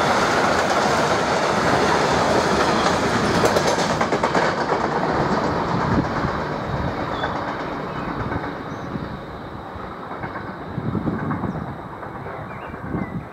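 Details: Locomotive 185 200 with EZ freight wagons rolling past: rapid repeating thump-clack about three beats a second over rail noise; many wheel flat spots.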